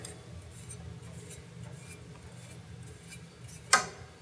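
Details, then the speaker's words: Garage door opener at a training demo: low steady motor hum, then a sharp click as the travel nut meets the up limit switch and travel stops; normal limit switch operation. "you hear that there was a switch the bottom switch clicking that was the up limit switch we just flipped the upper limit switch"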